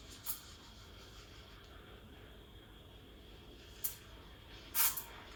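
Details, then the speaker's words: Breville Dual Boiler BES920 steam wand aerating milk, wand and jug angled, tip near surface: soft steady hiss with short sharp chirps as air is drawn in, the sound of correct aeration. "You want to listen as well, you want to hear that hissing sound."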